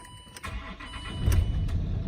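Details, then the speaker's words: 2006 Land Rover Discovery 3 2.7 diesel, manual, air suspension replaced by springs, serviced about 10,000 miles ago: brief crank, catches cleanly and settles into steady even low idle; runs sweet, healthy start. "Runs absolutely sweet."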